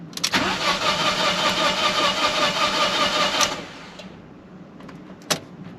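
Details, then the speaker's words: Fiat 500 TwinAir, engine refitted, oil drained, spark plug and fuel pump relay codes: about three seconds of steady cranking whirr with regular compression pulses, no firing; cranked to build oil pressure. "i'm gonna do it a few times so i'm just building oil pressure"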